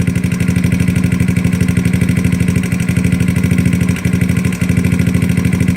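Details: GY6 scooter engine after adjusting the carburetor idle mixture screw. Even, steady putter at idle with a regular low beat, less vibration, and no stumbling or hunting. Normal idle.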